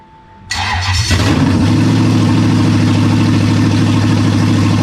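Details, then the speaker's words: Toyota 1UZ-FE V8 bench start, an abused engine with oil leaks and cheap aftermarket parts: short crank, quick catch, then a steady, even idle with no misses or knocks; starts and runs cleanly. "it it runs man I love this [ __ ] and it sounds cool as hell"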